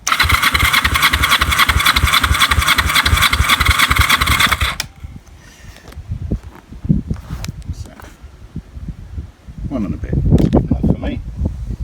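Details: Kawasaki EN450 bobber twin cranking with plugs out, throttle wide open, ignition on: quick even cranking pulses about three or four a second, then starter stops; normal cranking compression.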